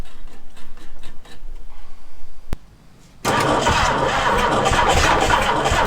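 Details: 1966 Ford Galaxie 390 big-block V8 after 35 years sitting, new spark plugs and fully charged battery, no gearbox: slow uneven cranking, pause, then catches and roars into a rough run; hard starting, seemed to want more fuel.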